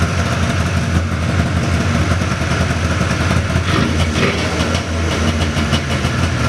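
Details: 1979 John Deere Cyclone 340 two-stroke snowmobile after carb cleaning: loud, steady burble holding an even idle, a touch fast, no stumbling or dropouts; air box still off. Normal idle.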